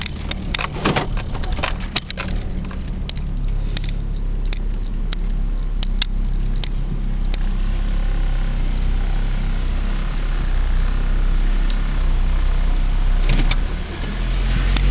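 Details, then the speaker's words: 2005 Ford Focus 2.0 L, about 93,000 miles, with engine vibration and rattling and warm from a drive: sharp light ticking about four per second over a steady idle; source unknown, checked before changing the spark plugs. "you hear that I'm not sure what that picking is like I said I don't want to get the engine too hot"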